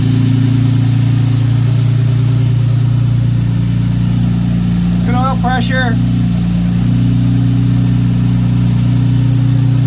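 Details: 1957 Jaguar XK150 FHC restoration, first start after rebuilt twin HD6 SU carburetors, starting carb operating, warming up, baseline timing and mixture settings: steady, even low rumble, no misses, knocks or hunting; smooth settled idle, healthy.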